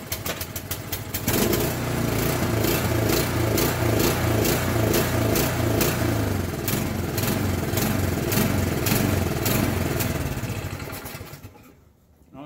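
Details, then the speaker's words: Craftsman or Yard Machines snow blower with a Powermore engine and Huayi carburetor, before an ultrasonic carburetor cleaning and rebuild; lumpy running with speed swelling and sagging, bad surging from a gummed carburetor. "one of them starts and surges real bad the other one won't start at all probably gonna do a carburetor cleaning on both of them"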